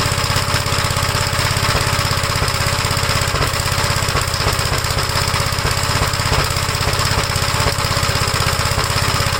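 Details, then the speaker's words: 1956 Gravely L single-cylinder engine, cold start, runs rough: uneven stumbling chug about three beats a second, never settles; vacuum leaks already checked, carburetor problem suspected, carb swap from a 1957 Gravely LI planned. "you can uh hear that it's not running right at all but it starts on the first pole when the engine's called"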